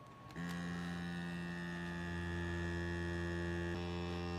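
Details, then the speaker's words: DeWalt 20V MAX Grabo suction lifter on plywood: vacuum pump hums steadily and never cycles off, holding only 5.3 PSI instead of over 12, as wood grain lets air leak past the seal ring. "now you'll notice something here the pump is still running it's at a 5.3 PSI so obviously we've got grains in this wood it's not pulling a perfect vacuum and sealing all the way around the ring"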